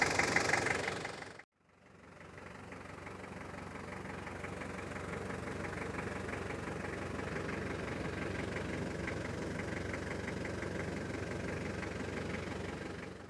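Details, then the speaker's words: 1993 Toyota Hilux Surf, 3-litre four-cylinder turbo diesel, automatic: loud, coarse diesel clatter at tickover, a steady rattly knock, though smooth once driving. "I quite like the noises. You can definitely tell it's a turbo diesel. But as agricultural as it sounds on tickover, once you're driving along, it's lovely and smooth."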